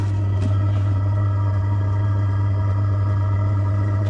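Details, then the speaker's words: Diesel heater just after lighting: a steady, deep, even combustion roar, louder than before as it burns off stuff sprayed in, with no misfires or popping; it is starting to build heat and running well. "Yep, that thing just fired up. I can hear it roaring like a little diesel engine now. Oh yeah, she's going."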